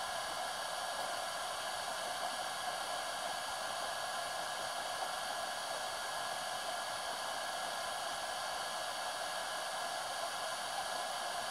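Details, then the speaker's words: HTRC smart battery charger charging LiFePO4 at 12V, 20A setting, about 16A and 250W: loud steady rushing fan, no rattles, ticks or speed hunting; normal cooling fan at full load. "you're going to hear the fan ramp up pretty soon it's putting in there's the amps going up and the charging hear the fan getting louder as the amps are going up"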